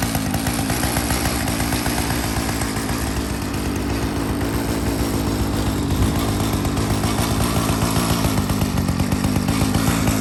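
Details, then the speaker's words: Restored 49cc mini chopper, first start while still cold: small single-cylinder engine buzzes steadily and evenly with no misses or stumbles; normal cold idle. "49 cc mini chopper ready to go needs nothing but a new ride in the owner let's heavy crank first start still cold"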